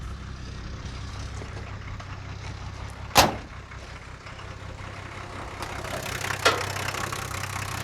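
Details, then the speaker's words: 1978 International Scout II with Nissan SD33 factory diesel, sitting about 20–30 years, now running; steady, even low diesel clatter at idle with two stray thumps from around the truck. Normal idle. "and there it is idling [Applause] well i'm gonna say that is one heck of a win"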